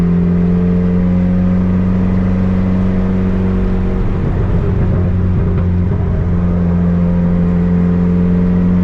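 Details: Turbo Honda Civic with fresh built D16 single cam on road test after ignition fixes: low drone climbs and settles back, pulling cleanly through midrange without misfire; no longer cutting out at any rpm, though logged rpm still scattered.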